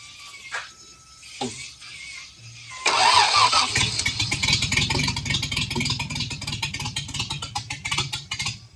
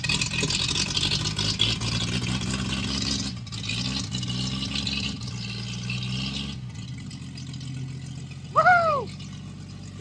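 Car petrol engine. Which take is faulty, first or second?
first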